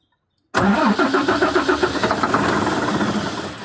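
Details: 6M70 engine hard starting: fires abruptly and runs uneven, pulsing about four times a second before steadying toward idle; cause not known.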